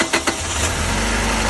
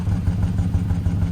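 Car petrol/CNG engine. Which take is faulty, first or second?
second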